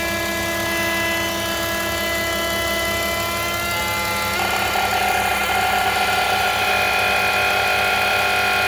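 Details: BMW E46 325i at idle: steady idle with a high airy whistle and hiss that shifts pitch partway, changing with vacuum; owner suspects a noisy DISA valve or a vacuum leak, not confirmed.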